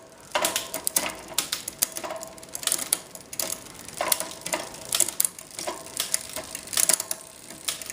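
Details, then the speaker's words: SRAM X5 rear derailleur on a Mongoose bike with a cheap freewheel, after quarter-turn barrel adjuster tightening: quick crisp shift clicks, then even freewheel ticking with no rattle or chatter. Rear shifting is properly adjusted all the way down. "so tighten up just a little more and come back down it's pretty good all the way down"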